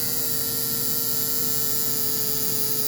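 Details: American Flyer AC diesel Alco locomotive motor converted to DC with field adaptor, around 6 volts after needing 3 to start: steady buzzy mid-pitched hum; suspected armature rubbing the magnet, and the motor later burned out.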